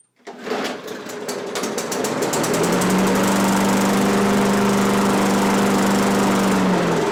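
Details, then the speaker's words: Free Craftsman push mower that previous owner said just stopped running: pull start catches, revs up and runs steady briefly on primed fuel with an empty gas tank, then fades; fuel starvation. "it's not like i wanted to keep going although there's no fuel in the gas tank"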